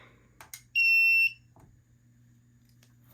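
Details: FireLite MS-2 fire alarm panel after a BG-12 pull-station test and reset: a steady high buzz for about half a second, then cut off cleanly; the trouble buzzer for a NAC fault, silenced on acknowledge.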